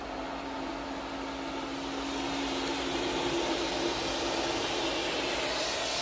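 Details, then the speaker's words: Hayward pool filter after cleaning, pump restarted at 100% for the first 3 minutes with the bleeder opened: steady, loud rushing hiss over a faint hum as air vents and the housing fills; gauge then shows decent pressure. Normal air bleed during priming. "the air coming out. That means this is getting filled up. It'll take a little bit."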